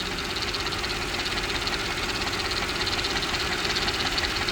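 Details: Mercedes-Benz S430/S500 W220 V8 idling at the start of a BG restoration-kit oil change, sludge seen at oil filler: light, steady tapping knock about three times a second over the engine hum; owner could not identify the noise's source.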